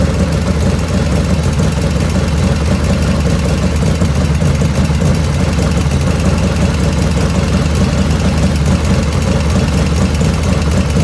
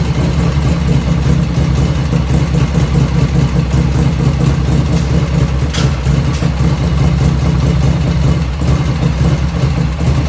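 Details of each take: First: 1985 Harley FXR V-twin at steady warm idle after a float setting, about 49°F ambient: light, quick ticking over the exhaust beat grows as the oil warms; owner blames the S&S hydraulic lifters, not oil restriction, with the rear intake lifter noisiest. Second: 1985 Harley FXR V-twin idling just after first start, still cold at about 49°F ambient, right after a float setting: even, low thumping idle holding steady with no ticking or misses, lifters dead quiet; normal idle.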